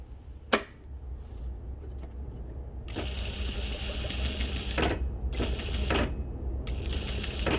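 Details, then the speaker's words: Sewing machine on servo motor with needle positioner/synchronizer switched off: short bursts of rapid even stitching, each ending in a clean stop at random needle position, quiet hum between runs; normal operation. "So this is without the positioner turned on. You can see it's just stopping random. Okay, stopping in any position."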